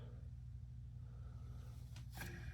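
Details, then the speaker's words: Marley commercial ceiling fan after bearing replacement and reassembly: quiet steady low hum with no rubbing, grinding or ticking; owner thinks he hears the new bearings but expects them to quieten, and it sounds normal. "I don't hear nothing rubbing. I do hear the bearings. I won't lie to you. I think I hear the bearings. I'm sure after it runs a while, it'll get quieter. It's kind of getting quieter right now."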